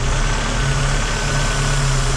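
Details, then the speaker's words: Vauxhall Cavalier petrol engine idling with a steady airy hiss over the low rumble from a split vacuum hose at the back, affecting the idle. "So, we'll cut that down and then rep put it back on there cuz you can hear that hissing as it is."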